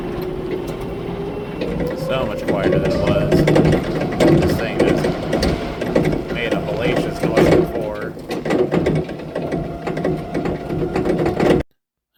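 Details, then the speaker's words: Raymond 770-R45TT truck driving after steer bearing rebuild and regrease: steady motor whir with some rickety chassis rattle, no grinding from the steer unit, much quieter than before; normal steering. "Raymonds in general are very loud and kind of rickety sounding. I know it doesn't sound that great over the video, but trust me, it's a lot quieter than it was."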